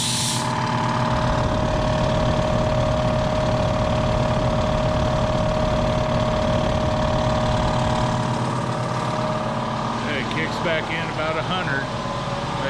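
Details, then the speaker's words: Harbor Freight compressor pump fitted to a Black Diamond 60-gallon tank, replacing the factory pump that had started hammering; steady even chugging and constant hum while building pressure, no knocking, quieter than others; normal running. "so that thing is a lot quieter than any of the other compressors we've had"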